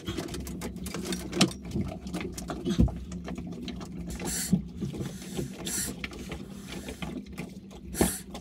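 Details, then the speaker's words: Saildrive oil change in the water: hand suction pump through dipstick hole after about 10 minutes gives irregular wet gurgles and sucking pulses as air draws through, sump nearly empty. "so you can probably hear that gurgling sound um i've pumped it for 10 minutes or so now and it sounds like it's basically getting to the end of it"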